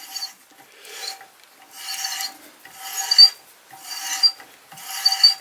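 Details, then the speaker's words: Adjustable hand reamer taking a slightly heavier pass after two turns on each adjusting nut; fed down gently without forcing, light even rasping strokes about once a second, no chatter or squeal, chips falling below. Normal clean reaming cut. "On entend que l'outil travaille, fait son petit travail gentiment."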